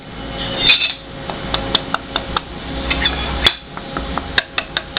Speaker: here's an example of severely bent material you can hear the rattle this part is Warped and distorted